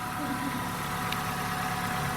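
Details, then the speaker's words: Dacia Solenza, first start after head gasket replacement, fully cold, oil and fuel systems bled: smooth, even idle with a steady low note and no knocks or misses; started first try, running cleanly. "так працює двигун рівненько от холодний повністю перший запуск"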